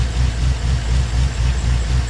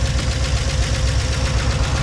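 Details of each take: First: Chevy Tahoe V8 after an oil and filter change that drained chunky water-oil sludge: deep, steady idle with no ticking or knocking. Oil pressure holds at 50 and it is much quieter, silent once oil pumped. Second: Chevy Tahoe idling cold after an oil change and spraying out the bottom end: fast, even rattling ticks over a low idle rumble. Owner suspects lifter tapping or rods, with the bottom end worn by water-oil contamination. A head gasket sealer appears to be holding.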